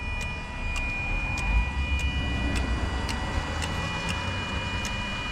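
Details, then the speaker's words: Hot engine, key on and engine off: sharp little clicks about two a second from a fuel injector, over a faint buzz from the electric throttle body; injector can be felt firing by hand, suspected failing and causing hot-start trouble. "so I'm wondering maybe that injector is failing right now since it's hot under the hood let's see we'll we'll turn the off turn the key on and then yes there it is so you can hear this slight buzzing that's just the electric throttle body but listen to a little click back"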